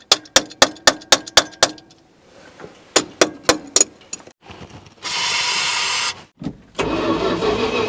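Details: 1980 Dodge W200 pickup, 318 V8, abandoned 22 years, now fed by mechanical fuel pump through a rubber hose: short cranking bursts about four per second, never firing; the carburetor floods gas out the top and the battery is nearly dead.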